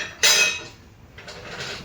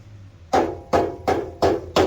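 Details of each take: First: Subaru with a loose exhaust heat shield, being struck under the car: sharp, tinny metal clank then lighter jingles; fixed with a band clamp (hose clamp). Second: Subaru exhaust heat shield after fixing with a band clamp: five solid knocks, each dying out at once with no tinny rattle; shield now secure.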